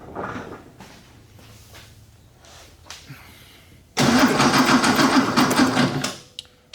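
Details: 1969 Porsche 911T that began misfiring and lost power while driving, burnt valve suspected, during compression testing (150 on one cylinder): engine catches, runs rough and uneven about two seconds with a stumbling beat, then falls away; misfire.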